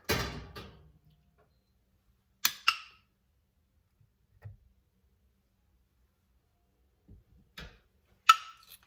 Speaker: You want to hear that popping noise? That means your jars are sealing. So it's kind of fun. You want to hear that pop, pop, pop, pop, pop.